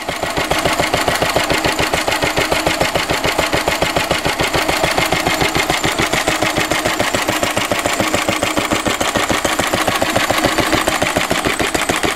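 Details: 1942 Lister D-Type stationary engine, 80 years old, water jacket recently cleared out after long standing; crisp, even firing pulses about three and a half per second, steady speed, no misses or knocks; healthy running.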